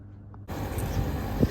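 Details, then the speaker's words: Outdoor condenser fan of an old Airwell split system on a not-heating service call, with low suction pressure and suspected low gas. Fan kicks in with a rough, rumbling whoosh and uneven low drone; the fan motor runs but sounds bad. "anyway I'm gonna test fan runs but it sounds like garbage"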